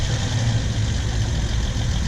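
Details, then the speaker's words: 2008 Honda Accord, GoPro laid against the good-side front wheel bearing for comparison: steady low rumble with no grinding or growl; this side sounds healthy, while the left front bearing and hub assembly were found bad. "if I go over here to this side and basically what I'm doing is laying the GoPro up to it here how there's nothing on this side"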